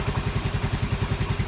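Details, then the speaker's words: Yamaha Mio M3 scooter with code 46 charging fault, idling after fitting a Mio Soul GT regulator (kiprok) as the original regulator's red line had no output; crisp, regular low thump about nine beats a second, steady, no stumble or miss, healthy idle. "Oke kita gas dulu di Indonesia eh motor enggak Brebek nggak masalah"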